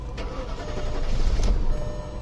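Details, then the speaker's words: 2001 Audi A8L 4.2 Quattro that died while driving: starts, runs lumpy and rough with deep unsteady rumble for a couple seconds then shuts off; lean on both banks, suspected fuel issue, low fuel pressure. "see it'll start run for a couple seconds rough and shut off"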